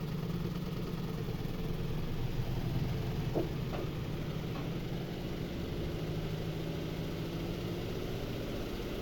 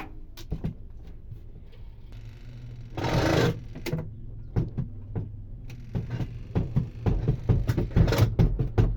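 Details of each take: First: Twin-tub washing machine spin tub after the loose screw was retightened and tapped with a hammer: steady, low, even hum with no knocking or rubbing; the tub now spins balanced, the earlier noise gone. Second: Twin-tub washing machine whose spinner won't spin dry: irregular clunks about two a second over low hum as spin basket wobbles, unstable; coupling between basket and motor is loose.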